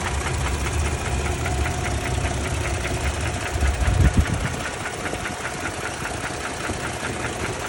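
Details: 2017 Toyota Tacoma 2GR-FKS engine: rapid, fairly uneven knocking of roughly two to three per second over a steady idle rumble; abnormal knock, cause undetermined.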